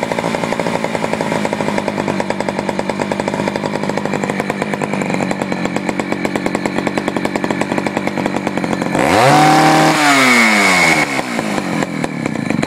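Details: Poulan 4200 chainsaw, warmed up after a cold start, reported running a little lean: fast, crackly two-stroke buzz, a touch flat and muffled, then revs climb sharply as the bottom low-speed screw is adjusted. Lean low-speed mixture suspected.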